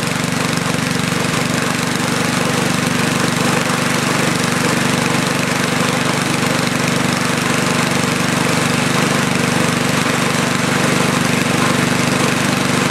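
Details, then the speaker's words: Snow blower cold-started at about 30°F on full choke with half throttle, just after the carburetor float-bowl drain gasket was replaced; it runs loud and lumpy with an uneven "pum pum" pulse, meaning the mixture is rich, since adding choke made it worse. "as you noticed when it was running before it had that little pum P pum pum in it that means that it's rich on the rich side"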